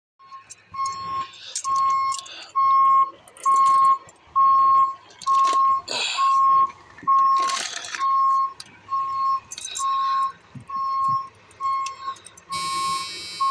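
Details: Vehicle with a fully charged battery that won't start: steady high-pitched warning beep about once a second with short gaps amid handling noise, engine never fires; no-start with warning beeps.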